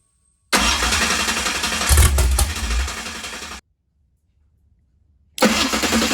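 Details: 769hp 409ci Ford 351 Cleveland on an engine run stand, starter refitted after earlier grinding: steady, even cranking for about three seconds, then a clean second crank with no grinding. The starter now engages smoothly.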